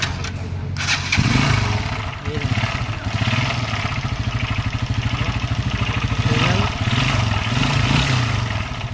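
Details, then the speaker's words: Single-cylinder motorcycle engine starts and runs with a rapid, heavy knocking beat under the exhaust note, caused by a broken connecting rod that was replaced. "mga lodi backing rad lakas ng tunog gulo ng buhok natin ito mga tropa yung connecting rod na sira yan kaya bago na uli yan"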